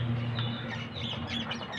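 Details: Mahindra Xylo engine running with irregular high chirping squeaks over a low steady engine hum; source part unclear.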